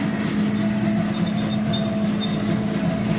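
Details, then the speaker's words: Tractor brush mowing weedy wheat with bush hog: steady high squeak over the tractor drone with no obvious rhythm; source unknown, mower wings recently adjusted after a suspected rock strike broke it. "probably shouldn't be squeaking like that, but you know what? Fuck it."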